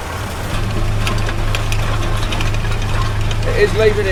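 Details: Vaderstad Top Down tined cultivator pulled by a John Deere 8RX in very hard ground: loose, irregular metallic rattle over a steady low tractor drone from black scrapers between the packer rings, deliberately set loose; normal scraper rattle.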